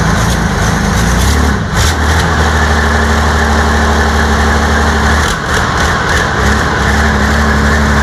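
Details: New diesel engine for a T62 tank, first test start after oil fill and starting fuel: heavy diesel catches and settles into deep, even rumble with steady beat, no misses; healthy running.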